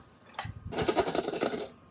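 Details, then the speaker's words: New Brembo Supersport floating rotor on a Yamaha R1, rocked by hand: a light metallic jingle for about a second as the disc floats freely, unlike the OEM rotors, which did not move. Normal free float. "just look at it just you can hear the thing move no mass"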